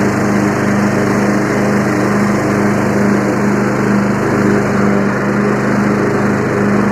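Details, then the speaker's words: Free Yard Machines 20 hp riding tractor with 42-inch deck: steady, even engine hum with blades engaged and spinning smoothly, no knocks or grinding; normal running with blades engaged. "you know what's next after that we got to see if the blades work sounds like the blades work"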